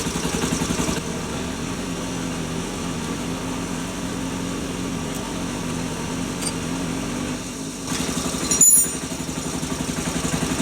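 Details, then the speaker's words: Postie bike small single at idle after cam chain adjustment: steady, even tickover with only a faint light tick left, the earlier on-off noise gone; normal idle. "whereas that's more steady now. Yeah, well you can barely hear it. Yeah. Looking good so far, guys."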